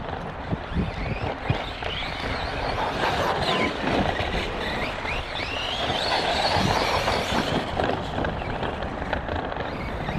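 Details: Kraton 4S RC truck on track laps, about 29.83 miles total: high whine rising and falling with speed over tire and gravel noise. Owner suspects a bad bearing or gear in the drivetrain, not confirmed.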